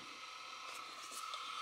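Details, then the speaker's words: Sony WM-10 cassette Walkman, about 35 years old, refurbished and oiled after a fall that left the headphone-jack switch broken: on pressing play the drive motor gives a thin, steady high whine over faint hiss, getting louder over time; cause unconfirmed. "so as I press the play button you can hear the noise"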